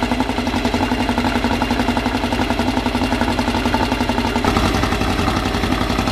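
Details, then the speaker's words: Freshly assembled 2054 engine on its first start after nearly a year of building, carbureted. An even, quick beat of about four pulses a second with a light gear whir. Normal fast idle. "ele já está com uma marcha lenta de 1.200 não vou baixar marcha lenta agora vou colocar mais acelerada nele para as coisas irem no lugar e aí depois a gente considera baixar essa essa marcha lenta"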